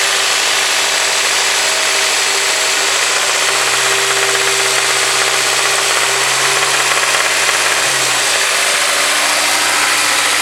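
Engine holding idle with a hard, hissy top end and a faint rapid knock underneath; could be bottom end, not confirmed.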